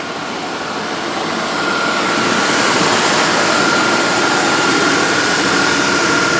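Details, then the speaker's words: 2001 Dodge Dakota 4.7L, 130,638 miles, after cleaning the idle air control valve (it previously ran and died): steady smooth idle with AC on and a faint whistle. RPM is still slightly above the normal 600–700. "that's running all right turn the ac off and see what it sounds like not to make a whole lot of difference but okay turn the ac off"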